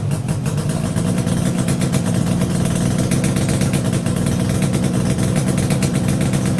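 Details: Yamaha RD350YPVS F2 two-stroke after full rebuild (bearings, seals, rebore), plugs retightened after being loose on first run; steady even idle burble with crisp regular pulses, no knocks or rattles; normal idle.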